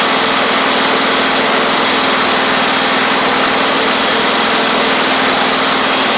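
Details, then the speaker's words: Toro Z2550 zero-turn needing fuel system work, driving on its own: loud, even buzzing after a brief stumble, no misses; running normally, though a flywheel magnet charging issue is suspected. "got a little stumble I I over there there we go all right that is a good good thing running running like that"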